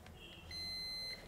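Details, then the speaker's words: Dead 32-inch Clarion LED TV that failed after a loud bang; multimeter on continuity across a removed diode gives one steady half-second beep, so the diode is shorted. "देखो दोस्तों, इस diode में short circuit हो रहा है। इसका मतलब है कि यही डायोड खराब है।"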